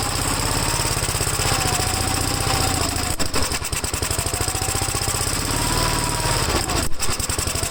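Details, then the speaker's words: Gravely single-cylinder engine, first start after gas tank install and new battery terminal: steady thumping with a slightly lumpy, rich beat while running on choke; choke later turned fully off and it runs all right. "we ran on choke I know directions that I I can start taking the show for us and I turned it out a little more hit the choke all the way off and seems to be running all right on the tongue"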